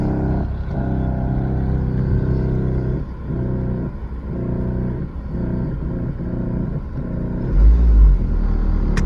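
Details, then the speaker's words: 2008 Ford Focus 2.0L started up: low engine rumble with a pulsing, uneven buzz and dash rattle from vibration. Worn engine mounts blamed; all three (left, right, rear) to be replaced. "Okay, so I'm gonna crank this up so y'all can hear and feel, well, you can't feel the vibration, but hear the vibration. Hopefully you can hear that. There we go. There's the dash going off."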